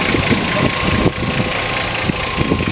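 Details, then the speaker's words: 1952 Chevrolet Styleline Deluxe sedan with an inline Blue Flame six on a cold start: even, steady idle with a soft, regular low beat and no knocks or misses; it runs smoothly. "that brings back memories old blue flame six"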